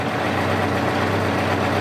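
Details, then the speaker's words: Four-cylinder motorcycle after carburetor sync with vacuum gauge readings of about 57, 56, 56: steady, even idle hum with no dips or misses, returning to a smooth idle; normal idle. "that's about perfect for me you can hear how happy the bike is it comes right back to a smooth idle we're going to call that done and dusted"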